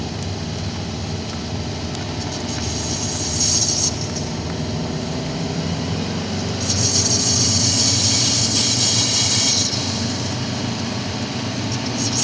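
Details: Subaru WRX, brakes not applied: thin high-pitched squeal comes and goes over road rumble, only when turning right, from the left rear brake corner.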